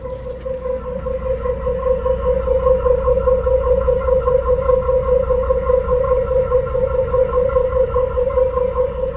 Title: 1986 Chevy El Camino 4.3L Weird Noise From Tailpipe. What is it?